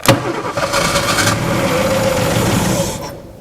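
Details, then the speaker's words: Abandoned 1961 Ford Falcon being revived from a graveyard, no vacuum advance, needs tune-up: engine cranks, catches, runs rough and uneven, then dies as if running out of fuel; fuel filter suspected blocked or leaking, carburetor smoking. "yeah it sounds like it's it's acting like it's running out of fuel"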